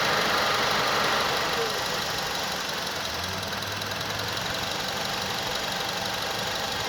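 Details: 2006 Honda Accord at 104k idling with A/C on: each time the compressor cycles, the idle sags and roughens and nearly stalls before the ECU recovers; runs smoothly with A/C off.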